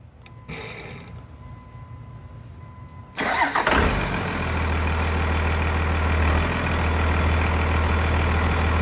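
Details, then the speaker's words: 1999 Cummins diesel after a new Thoroughbred Diesel injection pump, injector lines bled, on a frigid winter day; cranks briefly, catches, then settles into a steady, even idle clatter, idling normally. "all right there she sounds pretty good thanks pete i'll let her run for just a little bit then we'll shut her off"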